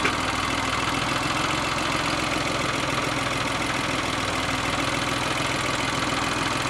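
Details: Geo car idling: low uneven loping beat with faint knock about three times a second; bogs down and dies when throttle is released after a little gas. Owner suspects bad motor mounts; cause unclear.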